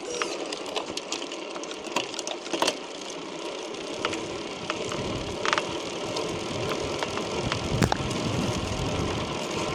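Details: Chris King R45D rear bicycle hub, recurring after a previous repair with internals replaced; sharp, irregular cracks and crunches over quiet freewheel ticking, the hub creaking under load.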